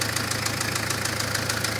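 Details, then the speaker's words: Citroen Berlingo diesel at normal temperature after an alternator repair and an oil change (previous change about three years earlier): fast, even metallic tapping over idle, not present before the oil change. Cause unknown. "nie wiem Nie było tego przed wymianą oleju klepie co ostatnia próba Citroena dobra Ładnie se klekocze"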